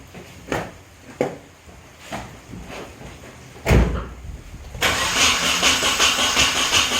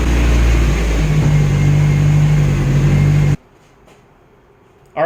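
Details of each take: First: Nissan 240SX on its first start attempt after the build, with ignition timing advanced slightly and the battery running down. Uneven cranking with a few firing puffs and a rough churn that never settles: nearly catches but won't start. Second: Nissan 240SX first start after injector cleaning and flow testing and setting cam timing, on the lift: steady, even low hum with no misses or stumbles, running as well as it ever has; normal idle.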